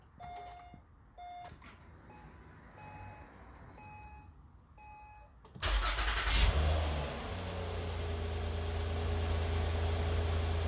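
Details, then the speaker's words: 4th-gen (2009–2014) Acura TL with 172,000 miles, cold start after servicing the sticking starter: dash chimes, then a brief crank that catches cleanly to a steady idle. The previous starter screech/grind is gone, a normal start. "Well, as you can see, you didn't hear it, so I guess it worked."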